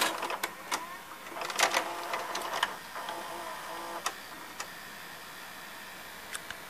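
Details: Sony SLV-760HF VHS VCR: quiet whirring motor with light clicks and clacks as tape threads and plays; normal, healthy transport, though the cassette door sticks and must be held up to eject.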